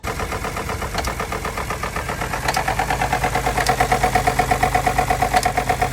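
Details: Ford F-150 3.5 EcoBoost, towed in, runs rough with underboost code and low compression on driver's bank, leak-down good: rough uneven idle with rhythmic chuffing about three times a second and faint whistle. Intake cam phaser came apart, cam out of time.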